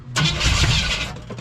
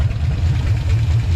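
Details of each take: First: 1956 Chevy 150 with a 35-year-old engine: with the coil confirmed working, fuel is added to the fuel pump and cranked; bursts catch briefly and die between pauses, never idling; fuel delivery problem, a leak found. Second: 1956 Chevy 150 with a 35-year-old V8, just started with no adjustments, running on the fuel pump, timing not yet set; deep steady rumble, even beat, no misses or knocks, ignition working: normal idle.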